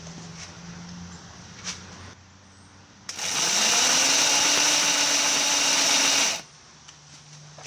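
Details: Homemade paddock roller starter turning a race bike's rear wheel in gear: a high electric whir lasting about three seconds, with no compression beats. The motor is too weak to spin the engine in gear, though it spins it in neutral.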